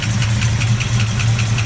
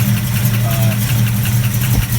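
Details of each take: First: Restored 1969 Plymouth Barracuda V8: lumpy idle with a light, regular tick riding on top, described as a typical Mopar cold tap. Valvetrain cause suspected, not confirmed. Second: Restored 1969 Plymouth Barracuda V8 with a mild cam: deep, steady rumble with a slight lumpy lope; the idle holds even and the engine sounds healthy.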